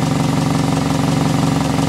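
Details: 1991 Toyota Carina II after fitting a repaired alternator, now charging 13.7 V versus 11.8 V before: steady, even petrol idle with a smooth quick pulse, no misfire, rattle or whine; engine sounds healthy.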